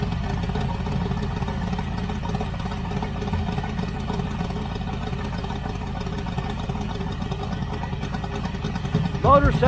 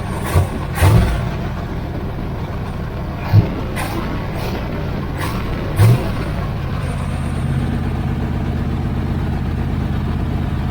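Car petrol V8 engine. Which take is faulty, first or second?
second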